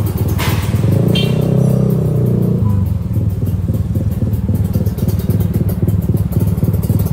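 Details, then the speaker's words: Kawasaki Ninja RR 150 two-stroke on test drive after carburettor adjustment at routine service: even, crisp two-stroke buzz pulling steadily with no bogging or misfire; running normally. "dan sekarang karbunya udah mantap dan body-bodinya tinggal kita lakukan pemasangan dan Mari kita tes Drive"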